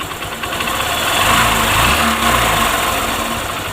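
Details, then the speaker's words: Honda Shine motorcycle idling after the cam chain tensioner was reset, following a timing chain replacement; steady smooth idle, the earlier intermittent chain rattle is gone; normal idle. "अब आवाज बंद हो चुकी है बिल्कुल भी time इनका आवाज नहीं रहा"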